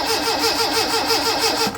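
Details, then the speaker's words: 1981 Fiat X1/9 converted from EFI to dual Weber carburetors, spark confirmed but no fuel added yet: steady starter cranking about five beats a second with no firing at all; crank no start, no fuel. "you can see we got spark, which is really good news. So, all that's left to do is put a little gas in it."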